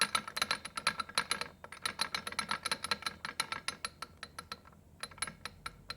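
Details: Rebuilt Triumph Spitfire transmission spun over with no engine: irregular bright clicking and light metallic clatter, several ticks per second; synchro rings seem very loose, cause uncertain.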